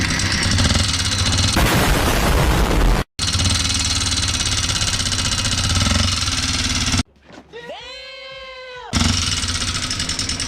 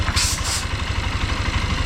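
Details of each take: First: Honda XR150 single-cylinder motorcycle idling before teardown, noisy engine with lost power: loud harsh metallic clatter at idle from worn rocker arms; head and clutch housing to be removed. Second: Honda XR150 single-cylinder that had been noisy and lacked power, idling after repair with a steady, even low thump and no knocking; still smoky from residue in the exhaust, expected to clear in 2–3 weeks.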